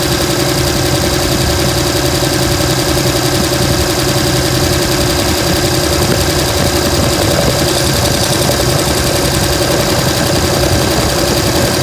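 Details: 2007 Dodge Ram 5.9 Cummins diesel idling with irregular, stumbling exhaust pulses; began a month ago, intermittent fuel rail pressure, MAP sensor and overboost codes; owner asks about excessive blow-by; rough idle, cause unclear.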